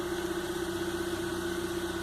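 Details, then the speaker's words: GM Onix with 68,000 km and an intermittent misfire reported by the customer, no check-engine light: steady, even idle hum with no skips or stumbles; the misfire is not present at this moment. "e aqui não falha aí ó nesse momento eu não sinto o motor falhando"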